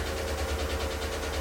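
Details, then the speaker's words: Chevrolet V8 with AFM/DOD (Tahoe/Silverado) at idle: low lumpy idle with steady tick about six per second, sounding like a light misfire; no misfire codes, bank 2 fuel trim and P0106 MAP codes; suspected collapsed lifter. "Now you can hear how loud that thing is. You know what? It sounds kind of like it's got a light misfire."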